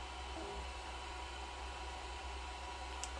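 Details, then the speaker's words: Amstrad PC5086 8086 XT desktop powered up after at least four years: steady low hum with a constant airy hiss; noise mainly from the rear fan, which likely needs replacing. "the noise of the machine is uh quite bad it's mainly the fan at the back it needs a new fan i think"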